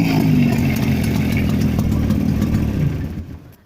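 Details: Jawa 350 type 638 two-stroke with CDI ignition after full engine rebuild (bored cylinders, new pistons, restored crankshaft, gearbox repair, new chain, bearings, seals) runs fast and even with a crisp buzzing beat; normal running.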